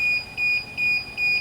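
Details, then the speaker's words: DJI Phantom 4 remote controller during app setup and login: quick, even high beeps about 2.5 per second, warning that the controller sticks need calibrating. "조종기에 나는 소리가 좀 성가시죠."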